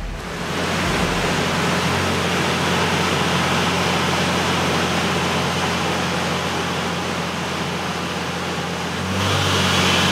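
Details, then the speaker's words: Ford F6 turbo on dyno, warmed up, after wastegate, trans cooler and timing chain fix: steady, even engine roar under loud dyno fan rush, no knocks or misses, picking up near end; healthy, expected to sound like a different animal. "we're going to run it up we're going to see the power it makes hear it now cuz this thing should sound like a totally different animal"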